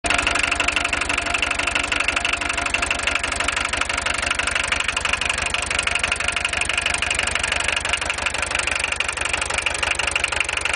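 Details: VW 1.6 TD diesel: sharp, even clatter at about three knocks a second over a steady idle. Heavy diesel clatter at idle, cause not yet pinned down.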